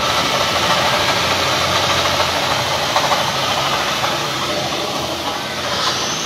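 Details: Toyota Vios idling after the alternator bearing was replaced, still noisy; steady rough whir-grind from a belt-driven bearing, noise gone with the belt removed; water pump suspected, pulley possible.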